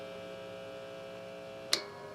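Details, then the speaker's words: 1985 Fender HR Stratocaster, amplified loud with its coil-split switch in single-coil position: steady buzzy 60-cycle mains hum, one sharp click near the end; normal single-coil hum, electronics working. "Yeah, do you hear how much it hums now when you're in single coil mode?"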